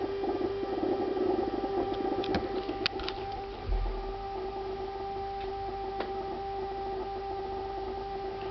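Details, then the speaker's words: Refrigerator making a constant high whine with a fainter tone an octave above, steady in a quiet room for about two minutes; owner considers it abnormal; the ventilation fan starts up afterward. "Après ils vont me dire que c'est le bruit normal d'un frigo ça."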